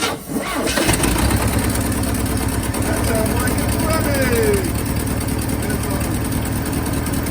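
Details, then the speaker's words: 1963 Pontiac Tempest LeMans Trophy 4 four-cylinder (half a 389 V8), four-speed, first start after sitting: catches and settles into a steady, even run with no misses or knocks; running properly. "amazing there's so damn that motor sounds pretty good that sounds way better"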